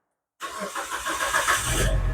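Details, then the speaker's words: Proton Saga FLX, started while checking a battery light that stays on despite two replacement alternators: engine catches with uneven pops and stumbles before settling to a low idle. Rough start blamed on a dirty throttle body. "Ini kentut-kentut itu lain isu lagi lah. Throttle body kotor."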